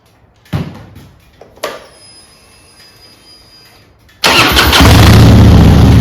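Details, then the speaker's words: Harley-Davidson Softail after swapping Screaming Eagle plug wires and plugs back to old wires and Champion plugs: a few faint clicks, then the V-twin catches and settles into a strong, even idle with no misfire; ignition problem mostly fixed. "well that's remarkably better um so I guess it's a a little ignition problem"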